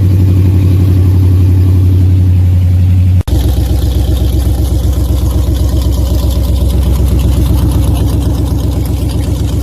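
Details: Dodge Challenger Super Bee after fixing a header rattle caused by loose header clamps: even, deep, pulsing idle with steady firing and no metallic exhaust rattle; normal idle.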